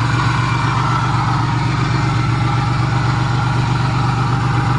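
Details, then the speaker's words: Van engine idling with a deep, steady, even rumble, no knocks or stumbles, on its first start after being hydrolocked by driving into water; intake manifold removed to drain water, some water likely still inside. "oh she wants to live yes it's alive it's alive"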